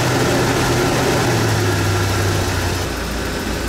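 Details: 1995 RV big petrol engine idling after fuel pump replacement, started on cranking; steady even low rumble with no misses, knocks or hunting, smooth healthy normal idle.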